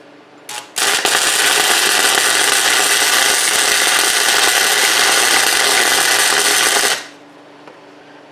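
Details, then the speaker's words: Repaired burnt-up flux-core welder converted to DC, rectifier and heat sink, set on max using rusty wire: steady crackling hiss about six seconds, even and unbroken, clean cutoff; laying a consistent bead. "mean it's laying a beads it should be all right let's Crank It Up and speed up a little bit"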